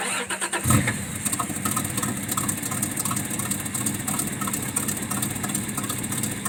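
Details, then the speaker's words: 1994 Toyota 4Runner 3.0 with code 31 (mass air flow sensor), cover removed from air flow meter: cranks, catches, then rough uneven stumbling idle; owner suspects MAF flapper not opening, maybe oxygen sensor. "the way it's running I'm pretty sure that this flapper may not even be opening at all"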